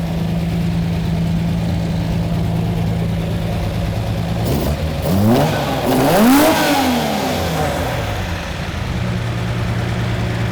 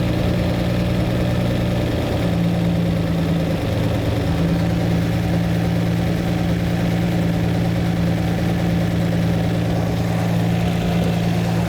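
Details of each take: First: Lamborghini Miura V12 after the carburettors were balanced and the mixture set: steady, even idle, then a clean quick blip returning smoothly to idle; it sounds healthy and balanced. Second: Lamborghini V12 being tuned, all cylinders balanced: steady, even idle with a deep, unchanging rumble and no misses, but the mixture is far too rich, roughly 6 or 7 to 1 instead of 14 to 1.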